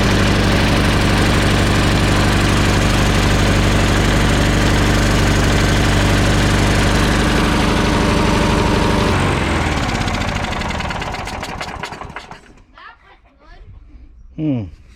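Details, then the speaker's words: Old Troy Bilt mower with a Briggs & Stratton Quantum 4 HP engine, brought in for leaking gas. It starts on the third pull and smokes with the choke fully on from excess gas. It runs steady, then sags and stalls as soon as the choke is backed off, which points to a dirty carburetor. "okay this started on the third pull it started right up and you can see how it was smoking with the choke fully on but as soon as i backed off on the choke it stalls out"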